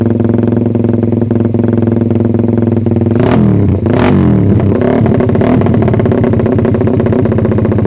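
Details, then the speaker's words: Suzuki Satria FU single after ignition timing was advanced slightly via the pulser, short rev blips: revs climb quickly but flatten and hold back near the top. Owner suspects ignition or carb setting needs retuning. "Emang pengapiannya yang kurang ngerti ini masih agak nahan sih atasnya"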